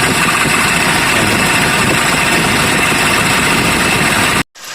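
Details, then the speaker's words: Kia Bongo 3 at idle, misfiring and noisy before stethoscope diagnosis: harsh, gritty whirring over the idle with no clear knock, from a worn idler pulley bearing on the belt drive. "So yung mga kaidol, napakaingay yung gagawin natin mga kaidol. Maingay siya makakapalang yung magkinay"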